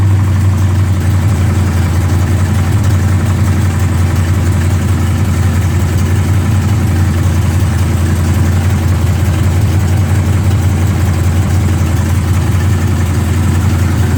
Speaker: trying to rule out if that's a rod knock, broken flex plate. We have no idea, but it's loud when you drive it.